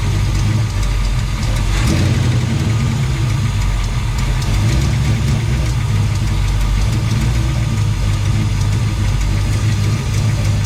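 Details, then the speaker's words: Chevelle sitting 15+ years in a barn, now running on temporary electric fuel pump replacing the mechanical one; steady even low idle rumble, no misses or stumbles; engine good. "But I'm pretty happy where this is. But yeah, engine's good, everything's good."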